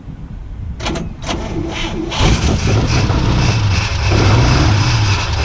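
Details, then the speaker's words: 1950s Oldsmobile Rocket 88 V8, 56 years old, sat 20 years, empty tank, fresh fuel poured into carb: a few cranking bursts then catches near two seconds and runs lumpy and uneven on primed fuel only. "56-year-old car, stood for 20 years, little bit of fuel, dodgy little key, and she fires up and runs. She fires up and runs."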